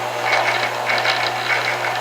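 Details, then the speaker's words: Staples SPL-TXC18A shredder after repair with start/run capacitor in circuit: even low motor hum with light, regular gear chatter; motor and gears turning smoothly and normally. "so the gears are turning and the motors turning and that looks good"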